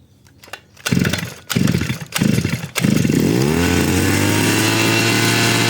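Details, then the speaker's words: NAC (Demon/Hecht) petrol brush cutter that would not start after winter, cold engine on choke after primed carburettor: a few sharp pulls, then fires and runs a steady high buzz; running normally. "Zobaczymy jak maszyna odpali. Silnik jest zimny. Dajemy ssanie. Gaźnik był przepompowany."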